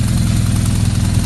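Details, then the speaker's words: 2009 BMW R1200R boxer twin idling with the clutch pulled in, after a gearbox knock repair with new clutch disc, bearings and damper. Even, steady low thrum with no knocks or rattles. Stepper calibration and sync are still pending. "когда все процедур пройдут по будет еще мягче работает"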